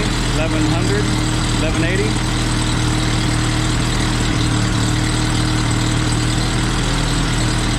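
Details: Jeep with a new condenser and points not perfectly gapped, many fuel parts already replaced, idling around 1100 rpm: heavy drone, slightly uneven, still running rough. Timing is suspected and the cause is not yet found.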